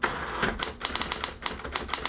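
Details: Smith-Corona Coronet Automatic 12 electrified manual typewriter, motor and rubber belts running constantly; crisp rapid type-bar clacks in quick bursts over a faint motor hum, keys firing cleanly without lag, working normally.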